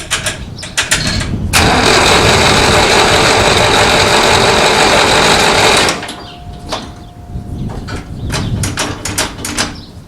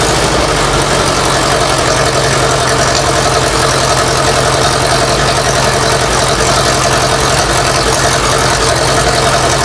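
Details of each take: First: 1960s Massey Ferguson 165 tractor cranked with the choke on: the starter spins about four beats a second for four seconds with no firing; spark is confirmed, but only a little gas comes from the carburetor, and the bowl is suspected of not filling. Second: Massey Ferguson 165 tractor from the 1960s after carburetor work: loud steady even idle without stumbling; running again, normal idle.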